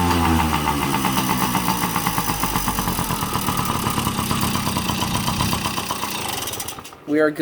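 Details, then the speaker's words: Yamaha PW50 two-stroke, sat in a shed for years, running on premixed two-stroke fuel in the tank with oil-injection hose off and no air filter: starts and settles into a quick, crackly idle without stalling, not shooting much oil; normal running. "it's working it doesn't shoot a ton of oil out"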